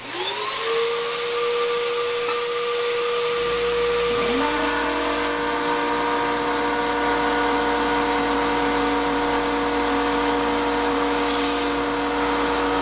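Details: Shop-Vac run with nothing connected, motor previously damaged by coarse tumbling grit sucked in before a dust separator was fitted: loud, strained high whine with a rough grinding edge, plus bad smell and weak suction; grit-damaged motor.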